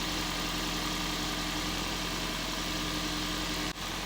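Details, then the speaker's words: Hybrid car started by pressing throttle, owner had complained of crackling and plugs unchanged two or three years; steady even idle, constant low hum, no misses, crackle or knock; running smoothly. "we'll need to press the throttle with it being a hybrid to make it fire up so we'll have a listen seems sweet is it not to me don't know what that sounds like on camera that sounds lovely"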